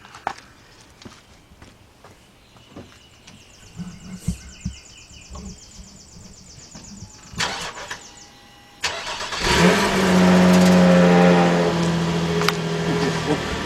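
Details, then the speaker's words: 2007 Nissan Murano 3.5 V6 start after muffler replacement: after handling noises the engine fires and settles to steady even idle with smooth exhaust note; sounds healthy. "all right guys now while you are here let me go start it up let's see how it sounds"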